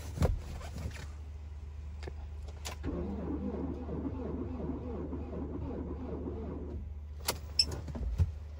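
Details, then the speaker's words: Ford Transit campervan diesel in Arctic Finland: about four seconds of slow, labored cranking with no firing. The weak starter battery was charged about 10 minutes and cranks better than before but seems to need longer charging. "Okay, better than it was, so I think we've just got to leave it a bit longer."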